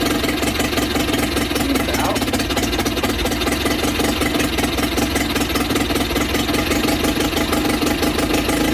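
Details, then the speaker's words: Sea King 6 outboard (VWB19074A) two-stroke after fuel system work, started on one pull: fast buzzy putter, a bit uneven and smoking; owner suspects too rich from priming, rough running not pinned down. "It feels a little weird, smoking for sure. Don't know why. It did start with one pull. That's a lot of pulling glass gas, so I guess that was too rich."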